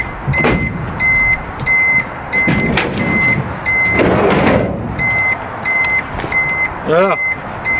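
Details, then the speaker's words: Renault Trafic with a newly fitted reversing beeper bulb (target 85 dB): sharp high beeps about one every three-quarters of a second, clearly audible over the idling engine; the beeper works. "En tout cas on entend un bip, mais avec le moteur tournant je suis sûr on l'entend plus."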